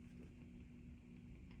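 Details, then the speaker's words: 1965 Fender Deluxe Reverb tube amp, fully warmed up, microphonic 12AX7s noted in V1 and V2: only a low steady hum and faint hiss, no crackle or buzz; one of the quietest Deluxe Reverbs, quiet noise floor. "so no noise this is one of the quietest Deluxe reverbs of any vintage that I've ever worked on"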